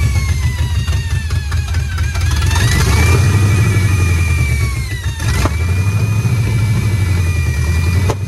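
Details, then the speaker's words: 1966 Ford F-250 Custom Cab Camper Special, first run after sitting about 32 years, fuel fed into the bowls: rough old V8 rumble with a wavering high whistle; a weird sound whose source isn't pinned down. "all right so do you think that sound is coming from where I pointed it out maybe and that is a weird sound that is a weird sound but it runs now"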